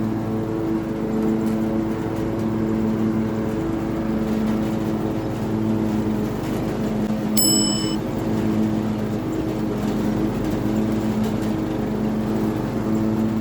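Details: Riding mower running smoothly after clearing a hydrolocked cylinder: a steady, even engine drone with constant pitch and no knocking or misses.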